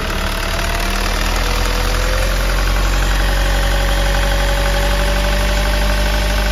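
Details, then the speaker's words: 2013 Hyundai Starex diesel idling after valve lifter replacement; first-start noise was the tensioner not yet filled with oil, and once oil came up the noise was gone, leaving a steady idle with no lifter tapping. "Yung unang andar mga kayabe, kasi yung tensioner natin mga kayabe, wala pang laman yung langis. Ngayong umahon ng mga kayabe, ayan. Wala na yung ingay."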